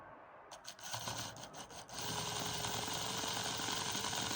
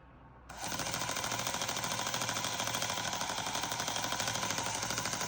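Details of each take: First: Old 00 gauge motorised model train chassis, tired motor that had jammed, test run after oiling: the small motor spins freely at steady speed with a light rhythmic gear rattle of about three or four ticks a second; cause of the rattle unknown. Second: Old 00 gauge motorised model train chassis, motor that had jammed, after oiling: a fast, harsh rattling buzz and loose clatter over the whine at steady speed; cause of the rattle unknown.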